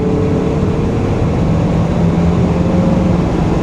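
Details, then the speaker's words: 1984 Chevy C20 Silverado with an Edelbrock carburetor, after fuel system repairs, on a test drive: deep, steady V8 rumble pulling under road noise; it accelerates smoothly on light throttle with none of the earlier spitting. "smooth as silk that leavs you back in the seat a little bit too I'm not even romping on it"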